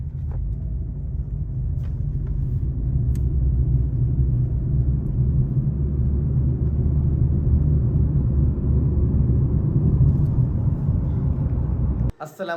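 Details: 2018 Honda Civic on a road test drive after a CVT overhaul that replaced the drums, shafts and belt because of noisy shaft bearings: a steady, even low rumble at road speed with no clicking or whine. Normal CVT operation.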